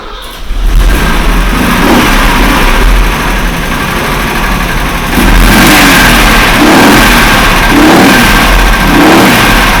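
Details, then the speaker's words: Mercedes 123, cold engine with oil pressure present, idling then revving: deep irregular knock under the engine note growing heavier with revs; main (crank) bearings knocked, not connecting rods. "стуканул не шатуны А корень шатуны маленько звук другой будет ну сейчас заведём покажем"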